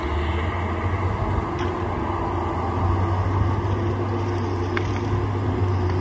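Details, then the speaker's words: Tigercat 830 with a brand-new swing gearbox fitted the previous week: the machine runs under a low drone with a constant tone on top when swinging; the new swing gearbox started making noise on its first day of running. "so that they put a swing gearbox on it does our day last week and we wouldn't have any trouble with the one that was on there but two brand-new and started making noise yesterday on the first day we ran it"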